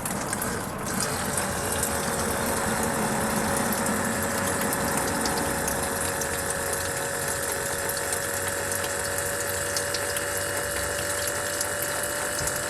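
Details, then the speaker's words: Ford F-250 front-tank electric fuel pump, energized with the pump grounded before starting: steady whir with fine rapid ticking and constant tone; front pump works normally, rear pump not running. "there it is so the front fuel pump is working the rear fuel pump once again I just grounded I let see if something happens or not so right now it's just the front tank just pumping itself"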